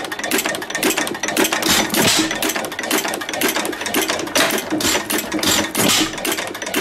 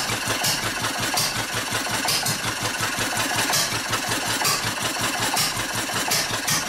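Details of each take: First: 2.5 hp hit-and-miss stationary engine running well: sharp clicks in uneven runs of a couple per second, each click the governor-tripped mechanism hitting the bar as it fires; normal hit-and-miss operation. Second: Old Wolseley sheep-shearing stationary engine with its fuel shut off. Slow chuffing beats near once a second arrive unevenly, with gaps between firings, turning hit-and-miss. It is starving for fuel and running out.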